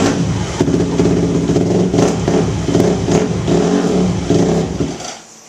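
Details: Yamaha YZ250F four-stroke, freshly filled with 10W-40 oil after a Wiseco clutch kit install, started and blipped while stationary; revs rise and drop cleanly with no clutch rattle or knock; normal running.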